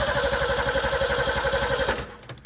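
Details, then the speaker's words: Roughly 60-year-old engine in 1962/63 Ford Falcon, runs under its own power: even regular firing at steady idle about two seconds, barely clicking, then cut off; apparently needs a starter. "This thing will actually run, and it will fire up under its own power once you get it. Listen to that. It doesn't even hardly click or anything. It even sounds good for being a 60-year-old engine."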